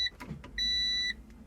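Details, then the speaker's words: Honda NSX stereo refitted after replacing capacitors: a few clicks, then a clean high electric whir for half a second as the power antenna motor raises the antenna. The stereo display stays dead and the same problem remains; cause unknown. "yeah same problem nope that was not the solution you can hear the antenna trying to work but it doesn't so you turn it on and there is the antenna goes up but there's no display"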